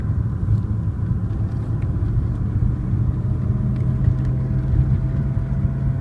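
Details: BMW E36 M3 engine making a deep, steady, muffled droning rumble under the engine note with a faint hum and no clear knock; cause not yet identified.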